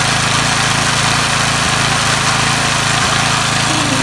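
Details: Briggs & Stratton 3 HP engine on an MTD edger, first start after repairing the starter clutch (unsealed cap, dislodged ball bearings) that squealed and stalled it: steady, even running, crisp exhaust, no squeal; normal running.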